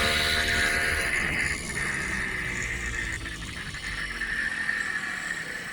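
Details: Puch Maxi two-stroke moped, one owner, long unused, previously bogged past half throttle (wrong jet size suspected): now steady buzz at high revs, pulling evenly without bogging or stumbling at full throttle.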